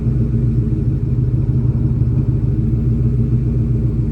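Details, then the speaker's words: 1996-1998 Ford Mustang GT V8 idling after Dragon Fire coil pack and spark plug wire install and clearing a P0304 cylinder 4 misfire code; deep, steady, even burble with no stumbles, extremely smooth healthy idle. "The idle is extremely smooth, as you can hear."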